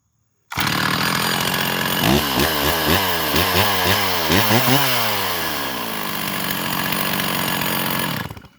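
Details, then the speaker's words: Stihl MS660 chainsaw with a Highway big bore kit on a test run after fixing known issues: revs rise and fall unevenly, bogging before clearing to a steady scream; owner suspects it is still spooling up on fuel; hesitation on acceleration. "Sounds like it's spooling up on fuel a little bit still."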